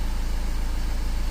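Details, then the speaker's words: 2015 Volkswagen Amarok diesel in for hard starting and long cranking after another shop's repairs (P0016): starts in one bounce, no check engine light, no fault codes; even, steady idle with a firm regular pulse, no misses or knocks. Normal idle. "fell up in one bounce. We don't got no check engine light on going."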